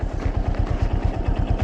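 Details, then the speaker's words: 2024 Yamaha Fazer 250 single-cylinder at 65,000 km, idling, with a heavy regular low thump about seven times a second inside the engine. The owner, who rides hard and says the engine gets very hot, suspects the connecting-rod bearing; not confirmed. "Cara o bagulho é ó o barulho olha ó eu não sei mas eh como que se diz não tenho certeza mas eu creio que é o rolamento da biela cara"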